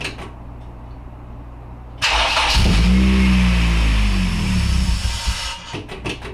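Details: Acura RSX just after swapping fuel injectors, started after priming and leak check: catches and runs unevenly, drone wavering and surging for a few seconds before dying back; fuelling off, ran better with original injectors refitted.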